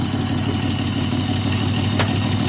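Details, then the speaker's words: Dad's Jaguar idling lumpy with a regular stumble, running on five cylinders: a spark issue from a plug lead not making contact kills one cylinder, and the exhaust also sounds like it is blowing. "you got you got a spark issue here. D making it a bit rough. Sounds like your exhaust is blowing."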